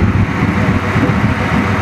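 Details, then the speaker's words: Ford Crown Victoria 4.6 turbo V8 at idle, runs good cold, untuned: lumpy idle with gargling, bubbling and a small recurring puff/popping in the exhaust, bank unknown; occasional misfire suspected, needs a proper turbo tune. "but there's always a little tiny puff in the exhaust at idle all right you can hear the popping right here"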